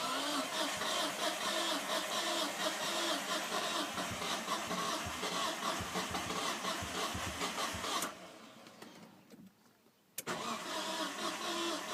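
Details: Non-turbo Nissan R33 (Skyline) hard cranking after sitting about 2 days: slow labored uneven churn, brief stall, cranks again; later runs rough and misfires until warm; coilpacks, injectors, gasket, fuel supply checked fine.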